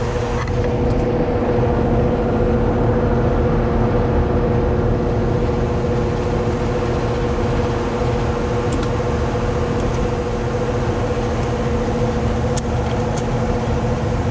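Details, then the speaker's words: Carrier AC condenser unit that wasn't cooling, fan ran without compressor, after repair at the condenser: steady, even compressor hum with fan rush underneath, no knocking or rattling; blowing cold. "All right, should get us going. Let's test it out. I do hear the compressor."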